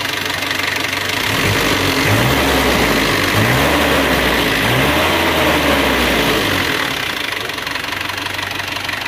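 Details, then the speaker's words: Isuzu Panther diesel after engine rebuild with new piston set, rings and one used liner: rises smoothly through blips and returns to an even idle, clean with no knocking; engine sounds healthy. "Bening, suaranya bening."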